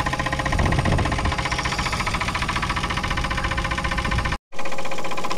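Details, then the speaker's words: 1962 Chevy Biscayne, 235 Blue Flame inline six, parked since 1969, just restarted: heavy, loose, uneven knocking about three to four per second at idle over a deep rumble; cause unknown. "oh yeah you can definitely hear how bad she's knocking over here though"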